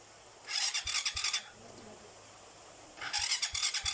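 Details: Two harsh rasping cranking bursts about a second each with dull thumps and no engine catching; noisy starter grinding, owner plans to apply grease as the fix, cause not confirmed.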